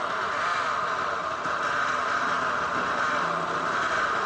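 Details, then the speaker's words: Honda New CB150R, kick-started, after a poorly done balancer weld: loud grinding drone and rubbing scrape, likely because the flywheel magnet rotor runs off-centre and rubs from a bent crankshaft. "ya ini teman-teman ya suaranya seperti ada yang apa ya sebutannya seperti ada yang menggesek suaranya"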